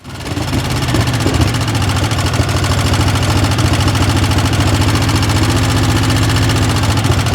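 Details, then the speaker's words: 20 HP Craftsman riding mower, bought with reportedly new parts but no power and stalling under load: uneven twin idle with a miss and light regular tapping about three per second; owner suspects loose valve, spark or compression problem. "You can hear a little bit of noise. It sounds like you got a loose valve possibly."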